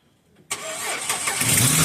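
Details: 2008 Jeep after a no-start, fixed by cleaning a corroded terminal with electronics cleaner and a brush: brief starter whir, then the engine catches cleanly and settles into a steady idle; healthy, prompt start.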